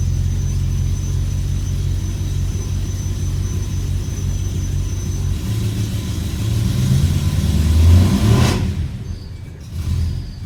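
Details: E92 BMW M3 V8 throwing codes for multiple misfires and popping badly on cold start; uneven lumpy idle with irregular stumbles about three per second, then a rev blip; rough idle with misfires, cause unconfirmed.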